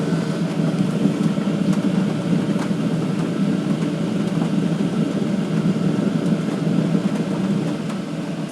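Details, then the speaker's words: All-in-one 12V/24V/240V diesel heater at full power with a full diesel supply, struggling to burn. Rough surging roar with uneven pulsing, close to flaming out. Owner suspects the air intake and exhaust being placed next to each other; not confirmed. "it's struggling here why is it struggling it should not be struggling"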